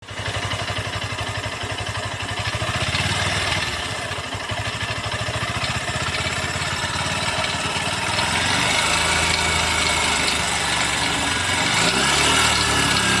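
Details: New Honda CB200X single-cylinder engine: quick even thump with a rough rattle at idle, getting busier as revs rise; abnormal engine noise, cause unclear.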